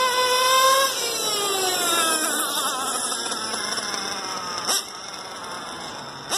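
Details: Stock LRP .32 Spec 4 nitro engine, idle and carb tuning not yet adjusted: a sharp high-pitched buzz winds down smoothly from high revs to a clean, even tick-over; normal running.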